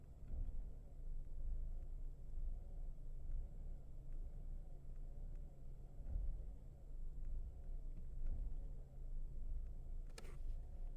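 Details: Mercedes W211 E200K idle rises and falls about once a second after briefly pressing the accelerator, a slow hunting surge that stops above 1500 rpm; cause not yet found.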